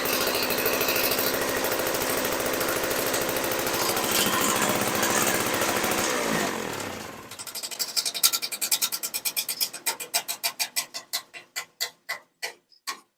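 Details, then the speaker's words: 1980s MTD Snowflite two-stroke snow blower, bought as a non-starter, started after priming: loud, fast buzz runs steadily for six seconds, then winds down through slowing pops at shutoff; starts and runs normally. "well I'm glad I put my ear mou on cuz man that sounded like it might have been loud"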